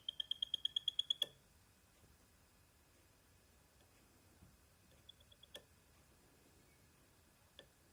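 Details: PS5 about a month old, started a week ago: run of about eight high thin chirps, roughly seven per second, then sharp clicks; cause unknown.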